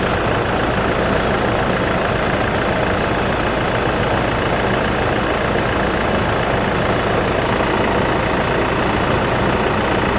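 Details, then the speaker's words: 2019 Toyota Fortuner 2.4 VRZ diesel automatic, 38,000 km, routinely serviced: steady, even diesel clatter at idle with no knocks, ticks or uneven beats; engine not noisy, idling smoothly and healthy. "Suara mesin di sini tidak berisik. Kedengarannya masih normal. Masih bagus."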